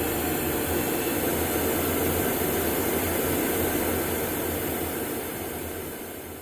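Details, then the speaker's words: Wood gun furnace fan motor after bearing job and fan blade removal, reassembled: steady even airflow roar with low motor hum, no knocking, grinding or wobble; runs as it should. "I put all this together and I really believe this is operating the way it's supposed to"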